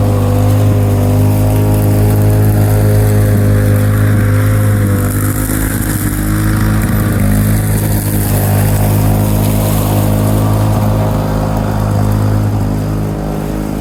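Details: 1987 Lawn-Boy 8073B two-stroke mower, first run after sitting almost a year, new greased capstan rollers fitted: steady even drone at constant speed, no misses or knocks; hard starting but runs fine.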